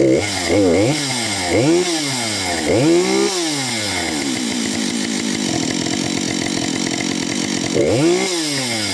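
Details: Husqvarna 565 chainsaw, first start after overhaul: crisp revs climb and fall cleanly, then settle into a steady buzzing idle; pulls evenly and sounds healthy.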